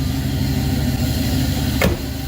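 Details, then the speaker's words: 1966 Pontiac Catalina wagon with Sniper EFI, just after a cold start: steady, slightly raised idle with even low rumble and one brief click; normal fast idle while warming, owner still chasing an IAC issue. "So, well, it started right up. That's always good. And that was a nice cold start from yesterday."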